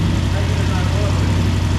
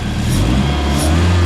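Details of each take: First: Ford Fiesta Mk2 with a Zetec turbo engine that had sat for two years, first start: low idle with an uneven, lumpy beat as one cylinder keeps dropping out; misfire. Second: Budget Zetec turbo engine in a Mk2 Fiesta, revved after a cylinder shut-off test. It runs smoothly and evenly on all four cylinders, rich and still needing a tune; an HT lead was then found not seated properly on the coil.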